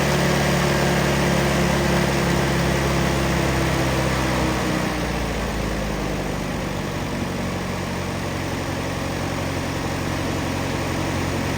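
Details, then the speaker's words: 1951 Allis Chalmers WD four-cylinder tractor, after its carburetor was cleaned in an ultrasonic bath and refitted. Settles into a fairly even low idle with a steady beat and no coughing or misses. Runs much better than before cleaning. "Runs a lot better than it did the other day."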